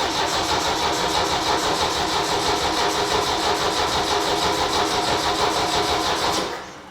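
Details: 1972 Saab Sonett, overhauled engine unstarted for a couple of months, now with fresh battery and more gas: steady, even starter churning about three turns a second for six seconds with no catch; long cranking without starting.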